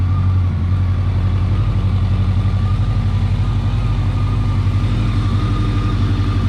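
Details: 1983-84 Honda Nighthawk 550 (CB550SC) after an oil change, checking for leaks; even steady idle burble about four pulses a second, clean exhaust note, no ticking or knocking.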